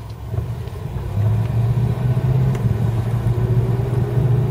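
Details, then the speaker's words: 1978 Ford LTD with old 9-inch rear end, driving. A low steady drone under the road rumble grows with speed from a very noisy rear end; the owner suspects worn rear axle bearings and a needed diff rebuild. "I think it needs rear axle bearings. And probably just a diff rebuild. That's sort of common for the old 9-inch."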